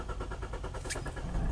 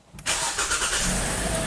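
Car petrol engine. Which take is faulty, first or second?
first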